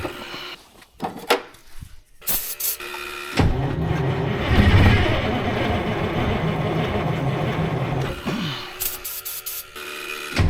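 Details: 1973 Freightliner cabover with Detroit 8V71 two-stroke diesel, blower just reinstalled, fuel previously drained: about four seconds of steady starter churning with no firing; cranks but won't catch, short of fuel.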